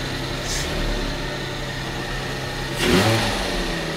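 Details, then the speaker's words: 1974 Jaguar XJ12 carbureted V12 with four carbs, revived after six years sitting with new plugs, cap and rotor: fast steady idle around 1100 rpm with no hunting, idle set too high before carb balancing. "and here the idle is way too high it's about 1100 RPMs"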